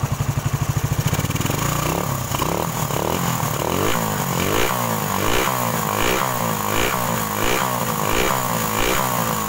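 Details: Suzuki Satria FU 150 after rebuild with aftermarket KW cylinder block and valve shims: fast even idle then repeated smooth revving with no misses or knocking; engine healthy, earlier heavy smoking fixed.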